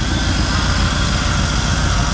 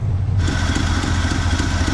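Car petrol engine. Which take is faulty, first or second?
second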